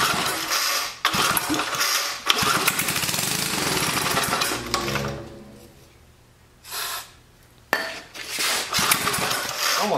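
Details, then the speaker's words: Old Sensation cemetery mower on fresh fuel: the small engine runs ragged and uneven, sagging nearly to a stall before picking up; owner suspects it may need a valve job and removes the carburetor next. "like it might need a valve job"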